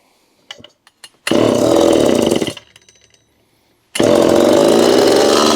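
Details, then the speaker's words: Homelite Super EZ chainsaw, test run after transit damage repair, carburetor rebuild and new fuel hose after 2 years boxed, assembly oil raising compression: catches, runs, drops off, restarts, holds strong steady high revs; normal running. "Compression is going to be artificially high at first due to the assembly oil. It's a good sign. It could stay running."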